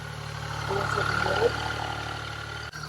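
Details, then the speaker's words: Started after sitting about 6 months. Low, even idle hum with no knocks or rattles; sounds good. "But I haven't started it in a while, so let's go ahead and start her up. Sounds good. I've been started in about 6 months."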